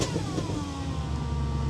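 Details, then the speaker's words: Audi S4 Avant, 4.2 L 350 hp V8, six-speed manual, 163 (thousand) on the clock, revved cold: deep burble rising and falling with throttle, even firing, no knocks or rattles. "right I shouldn't rev a cold engine should I really the car thinks it's the 8th of August 2003 it's got a really nice little burble"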